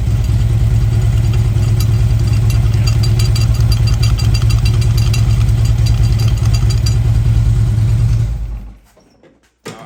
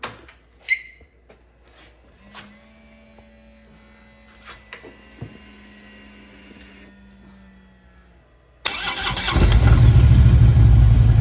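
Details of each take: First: Motorcycle at warm idle with a little throttle. A fast metallic pinging rattle, about twice a second, rides over the idle and appears only once warm. Cause is a loose bolt on add-on parts, fixed with a new bolt and Loctite. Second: Motorcycle idling after rattling add-on parts were fixed with a new bolt, tightening and Loctite; the engine fires and settles into a deep, even rumble with no pinging or rattle; runs clean.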